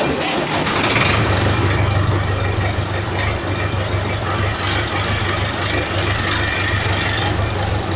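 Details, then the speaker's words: Massey Ferguson 275 tractor with old exhaust and blown silencer: deep, loud, raw diesel rumble with no muffling and a steady beat at idle. "Trator Master com escapamento velho, silenciador já estourado. Olha o barulho."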